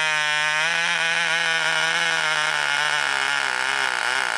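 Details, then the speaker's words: Cox glow engine from a wrecking yard, first start on nitro fuel with glow plug powered by a battery pack and the needle loosened: high, steady buzzing scream with slight wavering near the end; runs well with good compression. "she does run guys you heard it right here all right so sweet that one runs"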